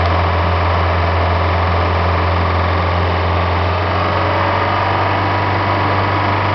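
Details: Mercruiser 3.0 GM boat engine, 50 hours, after valve lash adjustment: steady low idle with light, uneven dieseling knock traced to the timing gear cover area; believed normal timing gear noise.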